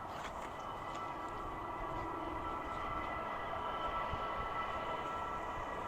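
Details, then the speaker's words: SILVEL 8kW 12V diesel air heater, first run at startup, not yet warm: steady even rushing roar with faint constant hum, exhaust starting to blow, no pulsing or popping; burning cleanly, running normally. "okay I'm starting to hear the uh noise come out some more you can see carefully there's some exhaust coming through it's not quite warm yet but it's starting to blow"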